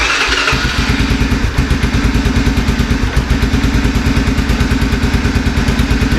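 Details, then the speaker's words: 1987 Honda FourTrax after carburetor and choke repair, run with parts still off: steady, even single-cylinder thumps at a quick idle with no stumbles or knocks, idle needing to be raised slightly; normal idle. "it should fire right up needs a little more idle which is a lot easier to get to right now which is why I have all that off"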